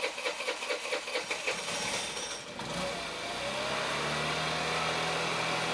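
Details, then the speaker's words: Honda Elite 80cc scooter after carb rebuild kit (new O-rings, idle adjustment jet) started in hot weather; starter churns, engine catches and settles to smooth steady idle, idle slightly high; intake manifold boot still leaking; healthy start. "okay seems to be running pretty good idle's a little high"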